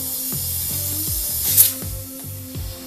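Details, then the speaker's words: 2007 Ford Escape 2.3 Duratec, 140k, no-start after the timing jumped. With the air intake off, the cylinder was pressurized through the spark plug hole. A loud, steady hiss of air rushes out the intake: bent intake valve. "Okay, that one for sure is bent."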